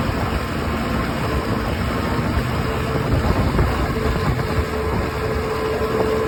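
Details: OX66 outboard with a steady, rough, gravelly grinding roar and no clear rhythm changes; new spark plugs stopped the noise only briefly, compression is excellent, prop not slipping, cause unknown.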